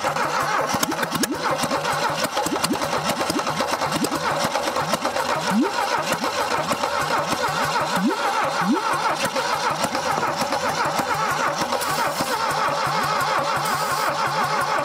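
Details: A 1968 Saab 96 V4, sat over 40 years and previously locked up, with oil added to the cylinders: long, steady cranking that never catches, with weak, uneven pulses. Compression is still low, about 60 on one cylinder.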